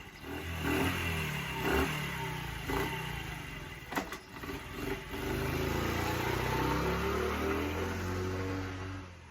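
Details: Small bike carburettor engine, after old fuel was swapped for new and it flooded at first, now buzzes and blips cleanly with the throttle, picking up each time; runs healthy.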